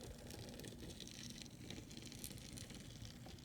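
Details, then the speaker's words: Bachmann 0-6-0 model locomotive on track with main rods hanging loose, cylinders and valve gear removed during LED lighting install: soft, even gear whirr with light rattle, holding steady at low speed without stalling; runs well. "that seems to run pretty good here we have a runner it can even go at the low speeds are pretty good"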